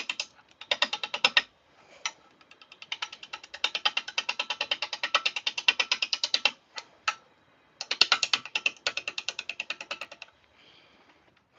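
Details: Lathe turning a blank, best guess birch, with a spindle roughing gouge and tailstock brought up: rapid, evenly spaced ticking in interrupted bursts as the gouge strikes the lopsided, bouncing blank each turn; rough running of unbalanced blank.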